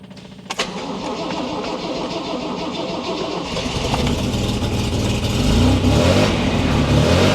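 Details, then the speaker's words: MG MGC GT start after installing a replacement alternator (unthreaded hole, fitted with a through bolt) and waiting for fuel to reach the carburetors. The starter churns briefly, it catches and runs smoothly with revs climbing slightly, and the charging light goes off, so it works. "Charging light went off. Looks like it works."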